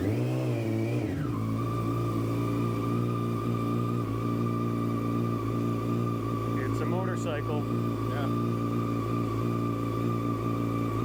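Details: 2017 Yamaha YZF-R6 project race bike: a brief rev falls back to a steady, even idle with a smooth constant note and no knocks or misses; engine runs healthy.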